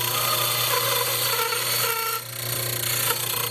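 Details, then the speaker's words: Bench grinder wheel grinding the rough, cold-chisel-cut side of steel reamer blade stock while shaping the bevel; harsh hiss with a thin high-pitched whine and fast chatter as the steel bounces on the wheel, dragging grit off and wearing the wheel. "And you hear that little high-pitched whine. That's the steel bouncing up and down very quickly, which is along the same principle as one of those tools that trues your wheel."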